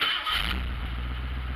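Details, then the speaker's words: Carbureted V8 Ford Ranchero started in park after an exhaust pipe repair: quick starter whir, then it catches at once and settles into a steady low rumble with a high winter idle; a normal, healthy start. "See, that's what it's supposed to do. That's what I remember this vehicle being able to do. Maybe it was just cold, because now it's running fine."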